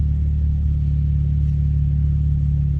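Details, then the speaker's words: Dodge Journey restarted after sitting a few minutes, following an unexplained odd noise on the first start: a steady, even idle with a smooth hum and no knocks, sounding normal now. "guys, I don't know what that. It sounds normal now."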